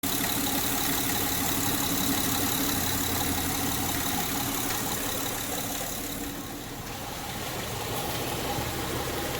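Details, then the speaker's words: 2006 Honda Pilot, warmed up, idling in Drive with the parking brake on under load: light, uneven ticking over the hum, also in reverse; fixed by replacing the drive belt tensioner; the timing belt tensioner was recently installed. "I have it under load I have it in Drive with the parking brake o"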